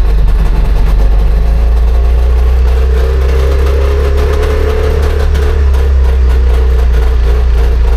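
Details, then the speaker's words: Trabant 601 two-stroke: buzzy idle that sags midway then picks back up, not holding steady; a screw to be backed out about one turn; cause suspected, not confirmed. "Okay, ist scheiße jetzt, aber machen jetzt mal Folgendes, wir versuchen jetzt mal die Schraube hier einfach ein Stück rauszudrehen."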